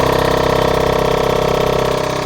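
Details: Surfacing the passenger-side block deck. A steady machine drone carries a high-pitched ringing where the cutter catches high spots on the wavy deck; the deeper sound is the cutter in air.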